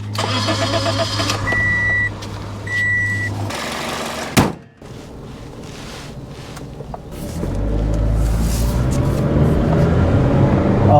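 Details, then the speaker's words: 2005 Toyota Matrix 1.8L with over 400k miles and P0171, after cleaning the mass airflow sensor and finding loose spark plugs; short crank, then an even, steady hum pulling smoothly on the test drive. Normal running, much peppier. "This is definitely running better now. It's got quite a bit of pickup here."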